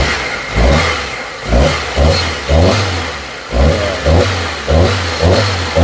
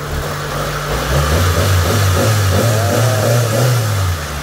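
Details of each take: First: Mitsubishi Lancer ("pizza") that overheated from a burst radiator, blowing the head gasket, before engine refresh: revs rise and fall in repeated blips with a shaky, stumbling beat and no clean pull, a misfire. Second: Mitsubishi Lancer "pizza" engine after refresh, following overheating from burst radiator and blown head gasket; new radiator and bypass tube fitted. Smooth, even revs rise and fall cleanly, no misfire, knock or stumble; earlier misfire gone, healthy revving.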